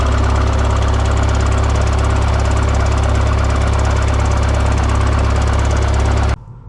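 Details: Excavator after the seized engine stop motor was pulled from its bracket, letting the injection pump shut-off lever spring to the run position: steady, even diesel idle with a deep regular beat and no misses or knocks, then it shuts off. Runs fine.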